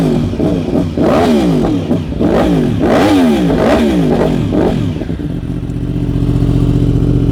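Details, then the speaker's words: 2015 Yamaha R1M with ECU flash, 9,210 miles, largely unridden since 2019, started after about five years of storage: several quick rev blips up and down, then settles to an even idle, smooth; normal idle and revving. "Pretty quiet. Yeah."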